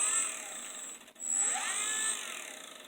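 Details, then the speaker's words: 3D-printed axial flux BLDC motor, 8 magnets, 6 coils, first power-up on sensorless Hobby King controller: thin high whine dipping and sweeping unevenly with a light scraping edge; rotor hitting a protruding Hall sensor. "Can hear it, it's hitting, I think I figured out, yep, it's hitting on this Hall sensor right here."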